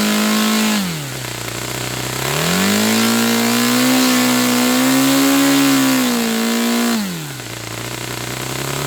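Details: Saito FA-300T twin-cylinder glow engine, glow driver off, needle set 2.5 turns out, with a sticky throttle linkage. A crisp, even buzz drops and climbs cleanly with throttle, with no stumbles or skips. Both cylinders are firing: normal running.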